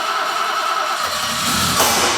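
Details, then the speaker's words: Barn-find BMW, sat since 2001, with a new battery, stale fuel and a fuel pump suspected seized: brake cleaner sprayed into the intake, starter grinds, engine briefly catches with a rough rumble then falters. Something then caught fire. "if we can get a bit of brake cleaner up its nose and turn the key it might fire for a brief moment for us to be able to hear it"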